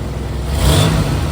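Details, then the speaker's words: 2000 Chevrolet Camaro with a remanufactured AC compressor, quick rev: loose metallic rattle over the engine note while the compressor clutch is disengaged, gone when the AC is on and the clutch engages. "so that got awful noise you hear right there that's the AC compressor the brand new AC compressor well brand new remand AC compressor that rattles when it's off I turn the AC back on that rattle goes away see when the clutch engages it's fine when it's not engaged it makes that noise"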